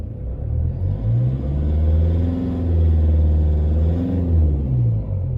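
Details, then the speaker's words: 2014 Toyota Hilux diesel, 47k, cold, revved in neutral: hard, loosely rhythmic tapping knock over the low rumble; sounds like one injector not quite right, unconfirmed. "sounds like the one injector not quite right kind of tappy noise it's like a Taffy noise to best explain"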